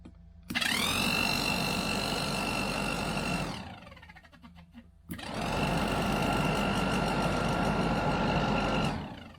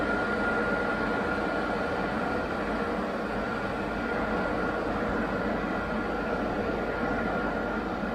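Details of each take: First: Classic Range Rover hard-dash plastic heater box, replacement pattern blower motor bench-run on jump leads from battery: steady high whine with fast scuffing rub as fan just kisses inside of casing; blower fan rubbing casing. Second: Classic Range Rover hard-dash plastic heater box, blower motor bench-powered after repair of squealing motor; steady even whoosh with faint constant tone, no scraping or squeal; normal blower run.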